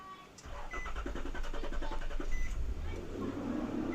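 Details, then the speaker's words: Nissan 4.0L V6 (Frontier/Pathfinder/Xterra) after starter replacement; the old starter rubbed the flywheel. Quick cranking, the engine catches into a smooth idle, and the noise is gone at idle and under load. "car started, and I am not hearing the noise. Let me go ahead and put it under load. Yep, the noise is gone."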